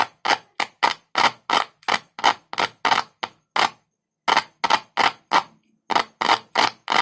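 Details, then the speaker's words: 6-inch speaker with a large magnet tested with a single cell, one wire end on the cell and the other tapped: sharp, loud pops about three a second as the cone moves back and forth; coil and cone respond cleanly, driver fine. "देखो यह कितना तेज है। और इससे screen आगे-पीछे भी हिलती है। स्क्रीन हिलती है, इसी वजह से ध्वनि उत्पन्न होती है।"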